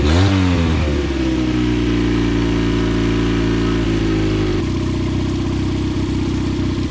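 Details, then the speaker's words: Dropped 9.9/10 hp outboard runs rough, uneven and wavering; fuel puddles and leaks between air box and carb, carb overflowing; float misadjusted letting too much fuel in; carburetor flooding, fix is float adjustment. "you see the puddle down there that's fuel leaking it's leaking between the air box right here in the carb which is telling me is that the carb is overflowing with fuel so i'm gonna adjust the float on the carb that's her problem"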